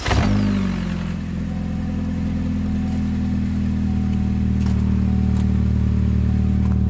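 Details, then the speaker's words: 2007 Chevrolet HHR, 2.2 Ecotec, 5-speed manual, after replacing the failed radiator cooling fan (no AC airflow at idle): engine idles evenly with a steady low hum and a smooth fan whir; the new fan runs normally. "start the engine with crap on top of the engine cover you can kind of see or hear that the fan is finally running"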